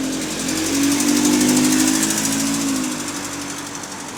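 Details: Bus GAL 731 on route 126 with a quick, steady tick of about four per second over the engine drone under throttle. The cause is unknown.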